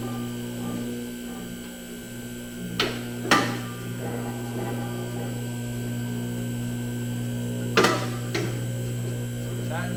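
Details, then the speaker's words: New DIY two-post lift on first fill with just under three gallons of hydraulic oil: steady pump hum with clunks as lift rises unevenly on trapped air, self-bleeding. "you're also gonna know that it's gonna be making some weird noise when you start it up first it's gonna you're gonna see this blue level drop we actually have to fill the hydraulic system so it's gonna be self bleeding in that one"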